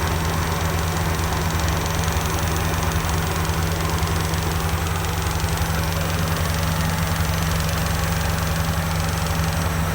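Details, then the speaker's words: Rapid light high-pitched ticking at idle from the cylinder head area, winter; ticking disappears when revved and returns at idle; cured instantly by hand at the shop — a loose ignition plug-lead clip tapping the valve cover. "उसके अंदर आपने देखना है idol के ऊपर बड़ी ऊंची किस्म की टक टक टक टक टक टक ऐसे करके आवाज़ आ रही है हेड के"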